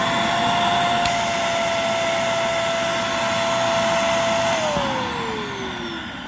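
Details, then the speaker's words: Shark Navigator vacuum: steady motor roar with a clear whistling tone near 650 Hz that later slides down; internal suction relief valve opening because of a clog. "the internal suction relief valve. It means you have a clog."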